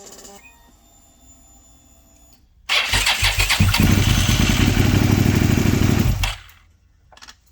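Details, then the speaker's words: Suzuki SV650/SV1000 V-twin after refitting the starter with a new O-ring and adding oil; a short crank fires straight into a steady burble and shuts off, with no grinding from misaligned teeth: starter engages normally. "and surprise the starter that worked still worked however what i was listening for was i was hoping to hear well i was hoping not to hear i was hoping not to hear grinding coming from this area like the teeth being misaligned"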